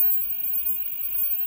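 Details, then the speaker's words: Old Semp Toshiba CRT TV under repair: faint, steady high-pitched whine with no rhythm from the flyback transformer; capacitors checked and look fine, no visible leakage, possible internal fault, resoldering considered. "Por desencargo em princípio ele tá bom o que tá fazendo esse barulho é o flyback mas"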